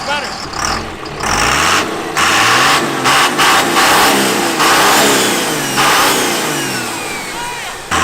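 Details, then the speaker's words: Cummins-diesel-swapped Mustang, injection timing advanced to about 30° with more fuel added; it also has a blown head gasket. A hard, sharp knocking clatter rides on every rev and gets harsher as revs climb. "We got a lot MORE FUEL ADDED TO IT AS YOU CAN HEAR THE KNOCKING NOW."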